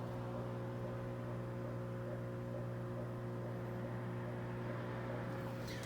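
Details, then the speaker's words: GE top-load washer GTW335ASN0WW in diagnostic-mode spin test (lights 3, 4, 5): a steady low motor hum with no spin-up or load change. The motor runs but the basket isn't spinning, and the belt was then replaced. "kind of hear it sound like it's something spinning but the basket definitely isn't spinning"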